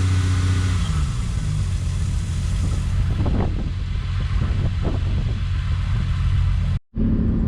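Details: Toyota Supra after cooling system rebuild with new water pump, thermostat and coolant; engine warm at operating temperature, fans on, runs with a steady even low rumble and light blips, no knocks or squeals; normal healthy running.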